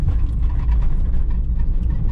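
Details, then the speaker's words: Peugeot 206 three-cylinder at idle, misfiring again after a drive: rough, lumpy, unbalanced beat with vibration from one dead cylinder. An inoperative fuel injector is suspected, not confirmed. "vibração do motor na lenta motorista desbalanceado que tem uma falta de um cilindro"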